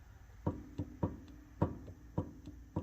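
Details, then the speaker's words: Ford Mustang 8.8 rear differential torn down after metal found in the oil: carrier rocked by hand gives sharp hollow clunks about once a second; carrier bearing spins freely with zero preload, possibly from worn bearings. "look at how easy this thing spins so there's zero preload on this bearing which could be two things if the bearings wiped right obviously the preload's gonna go away because as it wears"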